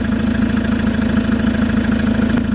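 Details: Chevrolet Captiva diesel after turbo and fuel line cleaning and alternator check: steady, even diesel idle with regular firing pulses and no misses or knocks; engine running smoothly and healthy.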